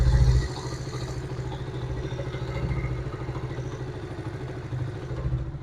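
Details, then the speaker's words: Honda CD70 single-cylinder bike after an engine rebuild for a loud noise (rocker, connecting rod, rings, piston replaced): soft, even low idle with no top-end clatter or knocking, healthy. "तो दोस्तों आपने engine का sound check किया है की भाई का engine का साउंड जो है बिल्कुल जबरदस्त हो चुका है"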